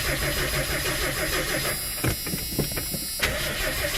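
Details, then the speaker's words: 1982 Ford Granada after a carburetor rebuild; steady idle, then a burst of cranking clicks before it catches and settles back into an even, smooth idle; starts and runs fine. "Yeah! Oh, God. Oh, yeah, hell yeah. Sounds like how I expected it to sound."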